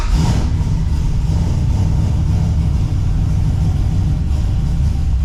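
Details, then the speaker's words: LS1-swapped Subaru BRZ with a newly installed Michigan Motorsports Stage 3 drift cam and a new Summit Racing crank pulley, not yet tuned, idling after warming a little: deep, loud, choppy big-cam V8 lope, still a bit rough; normal cammed V8 idle. "After it warms up a little bit, it starts to really chop and you can hear it. Here's what it sounds like."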